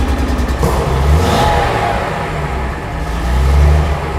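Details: Mercedes-Benz 300 SL Gullwing recommissioned after several years off the road: engine picks up cleanly through a couple of rising revs and settles back evenly, no misfire or knock; runs healthy.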